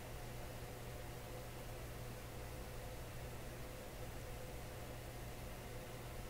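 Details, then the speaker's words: Deforest Crosley shortwave tube radio, first power-up in decades after replacing all paper/wax capacitors: faint steady low mains hum under soft hiss, now stable; possible causes considered include filter capacitor, rectifier tube or tube sockets, unconfirmed. "and not not sure if you can hear that hum it's it's pretty low but now it seems stable too"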